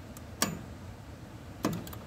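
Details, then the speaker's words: 1985 Club Car with micro switch box and resistor-controlled speed solenoids, accelerator pushed fully down: two sharp single clicks about a second apart as one solenoid pulls in cleanly; normal solenoid click. "if I push the accelerator all the way down you can hear one click back here"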